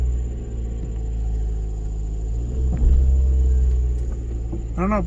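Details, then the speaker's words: First-gen Scion xB idling after fitting a solid rear engine mount: steady low rumble with an even note, no knocks or clunks; only very slight vibration felt, engine doesn't move on its mounts. "if it calls the door you can hear it it's very very slight vibration let's look at that engine right now see if it moves"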